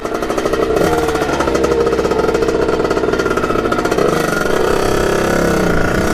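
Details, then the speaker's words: 1989 Kawasaki KX80 with 110 big bore two-stroke, fresh rebuild, started first kick: even, crisp, steady idle with no hunting or stumbling; normal idle, though it reportedly won't hit the power band at full throttle. "so it idles perfectly and just when you go full full gas just it doesn't hit that power ban"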